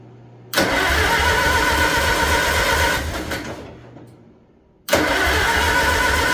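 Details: International Harvester Farmall 450 tractor, first start after sitting, fresh battery and gas, block warm, chilly day, out of gear, unmuffled: loud engine chugs, stumbles with a sharp pop back through the carburetor; owner suspects the distributor.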